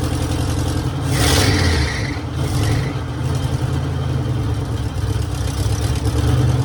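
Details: 1966 Mercury Monterey big-block Ford V8 after a fuel leak fix and carburettor adjustment; deep, lumpy idle rises smoothly with throttle and settles cleanly, no misses or knocks, "running like a top"; normal running and revving.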